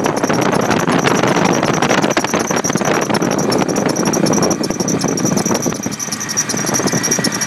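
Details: Nissan Titan with Stillen supercharger, constant high thin squeal after installation, likely the supercharger drive belt slipping.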